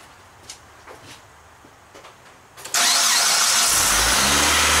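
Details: Stone-cold engine started for an idle air control valve check; brief crank, then it catches and settles into a steady, even fast idle with no misses; normal cold start.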